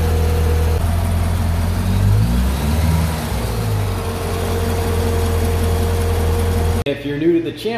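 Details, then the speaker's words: 2012 Corvette Grand Sport, 6.2 L LS3 V8, idling 15 minutes with an AMSOIL engine flush before an oil change: a deep, even burble at steady speed with no knocks or stumbles; normal idle. "all right that's all we do is let her idle for 15 minutes i'll let you hear what she sounds like here take a listen"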